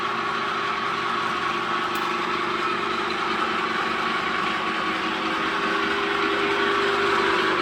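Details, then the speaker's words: New 3-meter screw conveyor on its factory test run after fitting the motor and reducer: even, steady mechanical whir with a constant mid-pitched hum, no knocks or grinding; normal running. "After installing the motor and reducer, turn on the power. Test run the single 3-meter screw conveyor."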